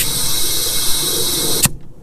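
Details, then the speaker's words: Turbocharged 2006 Subaru Impreza wagon (NA/T), about 100,000 miles, engine off during a compressed-air boost leak test: steady loud hiss from the intercooler piping; intake boost leak. "Oh my gosh. Yeah, I can definitely hear a big leak, to say the least. It sounds like it's coming from my freaking intercooler too."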